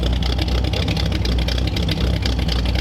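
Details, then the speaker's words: 1938 Ford convertible with newly built true dual exhaust, on its longest run yet: a deep, uneven, loping idle that burbles through the exhaust, loading up rich with black smoke and a fuel smell; carburetor needs adjusting. "So this is the longest we've run it, and it was instantly, you could hear as it was idling, loading up."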